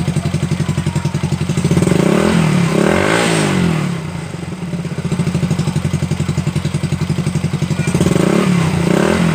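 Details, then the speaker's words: Supra Fit New motorcycle engine after repair of a damaged cam chain and tensioner: an even, steady note that climbs smoothly on each throttle blip, with the earlier clattering gone; it runs smooth again. "Guys, mantap kan, suara hilang dan mesin menjadi halus lagi seperti semula."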